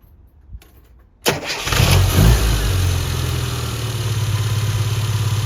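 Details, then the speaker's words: Classic Mini with Spark Evolution distributor, non-resistor plugs gapped 35 thou: brief spin, catches instantly, steady even idle, no prolonged cranking; quick start, ignition system working properly. "as we can see that starts straight away now no cranking just bang straight away and that's a sign that you've got the right coil the right power and the system's working as it should"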